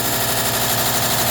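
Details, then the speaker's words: Cosori food dehydrator running with a fast, buzzy rattle steadily over the fan hiss; owner unsure whether the fan is the source and has read it might be the coil, not confirmed. "getting that noise coming out of there. Not that great. You can see the fan. I don't know if that noise the fan. I read it might be the coil, but we'll find out after I do this batch."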